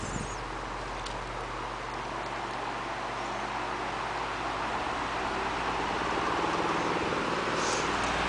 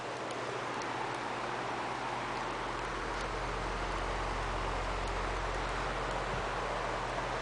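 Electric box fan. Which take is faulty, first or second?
first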